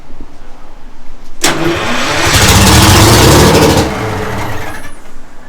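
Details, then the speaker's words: Detroit Diesel 6-71 first start attempts with rebuilt starter and new left-hand Bendix; cranks, catches and roars about two seconds then fades and dies, burning only fuel left in the head; pump acts dead, later found lost prime/air-locked. "It's just starting with the starter fluid. Nah, it's running. It's got a little bit of fuel in the head that just runs out. It acts like the pump doesn't work."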